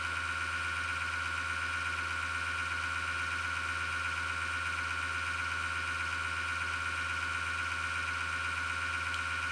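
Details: Desktop PC power supply fan with a bad bearing: constant high whir with a gritty grinding buzz, returning five years after it first appeared, with the case vibrating; it began after a slowdown and clicking or rattling.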